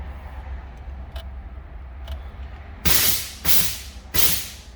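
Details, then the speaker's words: 1993 Mustang with 351W swap, C4 transmission, Terminator X Max ECU, newly installed dry/progressive nitrous and purge kit, purge test: three sharp half-second hissing blasts over a quiet engine hum; normal nitrous purge. "got to figure out how to test it but i know i can test the purge so here we go"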